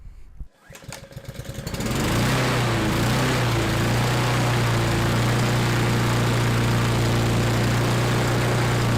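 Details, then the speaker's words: Husqvarna LC 221RH self-propelled mower with a Honda GCV160 engine, repaired after fire damage: pull-start catches quickly, then a steady, even high-speed drone around 3600 rpm on the tachometer, with no misses or knocks. Running properly. "everything seems to be working now rpms or running around 3600 as you've seen on the uh tachometer"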